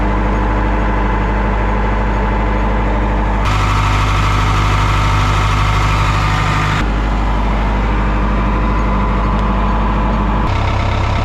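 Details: 1988 Caterpillar D4C bulldozer after a new battery, with a corroded wiring connector found: a deep, steady diesel rumble with a couple of step changes in speed, firing evenly with no misses; it runs properly.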